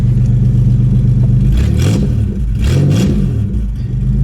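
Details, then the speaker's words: Demolition derby car that sat five years under trees with old gas: strong steady low firing, then two clean throttle blips rising and falling smoothly; sounds healthy. "couldn't believe it when we first started up I hit the key and it just fired right up fired right up I couldn't believe it"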